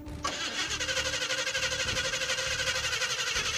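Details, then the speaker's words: '56 Chevy field car, freezing cold, started on whatever fuel is in the carburetor; slow uneven cranking about three turns a second, never catches; battery weakening, suspected no gas in carb. "Oh, we're losing the battery. I don't think there's any gas in this carb."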